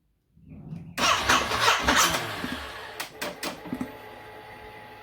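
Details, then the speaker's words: 5-year-old original battery on a Ducati SuperSport 939, not flat but failing: starter cranks about a second, stops before the engine fires and spins down; fixed by replacing the battery. "My SuperSport has had a random cranking problem over the last 3 months. The starter motor will start cranking, and then before the engine fires, it'll stop cranking and then just spin down."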